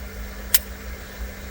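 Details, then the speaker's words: LPG car with crank no-start, scanner actuator test on a new fuel cut solenoid valve plugged into the tank-side connector: crisp click when energized, faint second click, actuating normally, whereas the original tank valve doesn't move at all. "연료 컷 솔레노이드 밸브를 새 것을 커넥터에 끼워 가지고 작동을 또 한번 시켜 보겠습니다. 연료 컷 솔레노이드 밸브입니다. 지금 꽂아놨더니 안에서 열심히 운동하네요."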